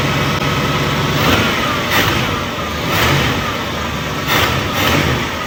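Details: 1967 Mercury Cougar V8, roughly 85,000 miles, barn-stored 15 years, first start: catches and runs, blipped in short revs about once a second, then settles back to a steady, even idle; normal.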